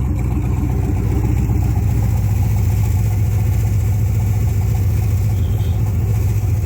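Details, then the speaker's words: 1966 Buick Skylark bracket drag car freshly LS-swapped with electric water pump, first run: loud, deep V8 rumble at idle and revving, steady even beat, no knocks or ticks; healthy and running cleanly. "Yeah, we do have a bunch of bad ideas, don't we? that sounds wicked."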